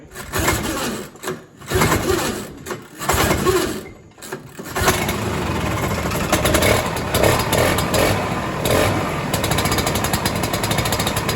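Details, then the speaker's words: 1967 Ski-Doo Alpine twin-track snowmobile, two-stroke, sat many years, now on its own fuel, about 75°F: uneven bursts on startup with barely any choke, then a steady, even idle; runs a lot better, idles fine. "Man, she's running a lot better, buddy. I barely had to choke it anymore >> on the startup, you know, and then it was just idling fine and tunable."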